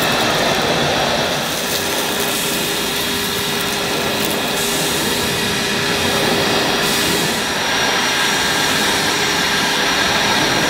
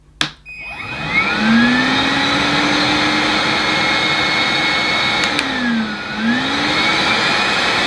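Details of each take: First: Numatic NBV240 cordless vacuum with aero brush on plush thick carpet: steady high motor whine over a dragging uneven rush as the brush struggles to spin even after dirt is picked up; brush roll bogging. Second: New Numatic NBV240 commercial cordless vacuum, first power-up on low then high speed: smooth steady motor whine climbing in pitch at the higher setting, no rattles or grinding; normal motor run.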